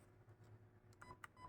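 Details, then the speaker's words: Zius BK1S/BK2S blaster with T238 electronic trigger, trigger pulled while the piston or pusher is not in prime position: no shot, just two short high beeps, the jam warning; clear the jam and reset. "right right it will just give two beeps to indicate that the Blaster is now Jam please clear the jam do whatever you need to do and then reset the Blaster"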